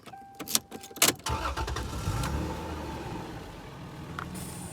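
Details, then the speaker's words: 1992 Toyota Crown Majesta JZS149: engine cranks and fires, then a thin steady hiss under quiet idle as the air suspension adjusts to the ground it's parked on; normal. "you can hear the hissing that's the air suspension adjusting to the ground it's parked on"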